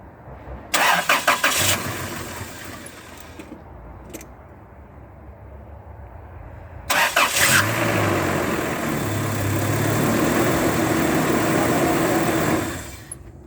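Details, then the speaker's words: 1997 Toyota Tacoma 2RZ-FE after timing chain job and fuel filter change; starter churns in bursts without firing, then after a long crank catches and runs as emptied fuel lines pressurize; extended cranking, then P0336 crank sensor code. "It's not going to start right up because we changed the fuel filter, and the lines are empty and everything, so it's going to have to pressurize."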